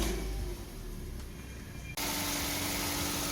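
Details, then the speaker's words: 2009–2010 Mazda 2 right after fitting a second-hand starter motor: short quiet lead-in, the engine catches and settles into a steady, even idle. Normal start and idle. "Boom, there we go. All done and dusted, starts up. Happy days."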